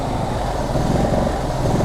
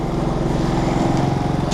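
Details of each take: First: Generac GP3300i (model G0071532) generator that won't shut off: the small engine drones with a slow once-a-second rise and fall and keeps running after switch-off; the switch tested good, and the igniter circuit connector was loose and not clipped down. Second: Generac GP3300i inverter generator (model G0071532), in for not shutting off, restarted and running with voltage and frequency in spec: smooth, even drone with no misses or surging; normal running.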